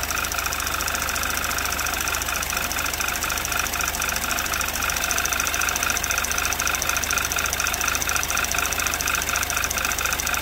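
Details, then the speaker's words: 2011 Audi TT Quattro 2.0T TFSI running after engine damage repair, coolant about 96 degrees, slight hiccup; fast sharp ticking over rough idle changes with rpm then randomly stops, cause unknown, owner thinks it was something electronic. "Okay, that changes with RPM. And then it just randomly stopped. Yeah, that was something electronic."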